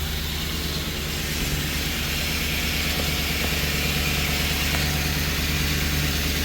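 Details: 2013 Ford E150 V8 van, after replacing a melted cylinder 3 spark plug and badly worn plugs (earlier clatter, cylinder 4 misfire, rough running): deep, even idle with steady low rumble, no stumbles; runs smooth.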